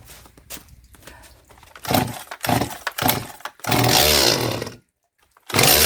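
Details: Stihl MS 180 chainsaw rebuilt with Chinese WINZOR parts including the crankshaft, first start on fuel-oil mix after the sealant cured: fires and revs in bursts with a short stop, then runs steadily once the carburetor was slightly adjusted.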